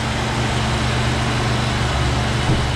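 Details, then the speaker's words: Ford 5.4 V8 truck after timing chain guide replacement: low, steady, smooth idle with no chain rattle or slapping and no oil leaks. Normal idle. "and we're not making a whole bunch of rattly racket so good"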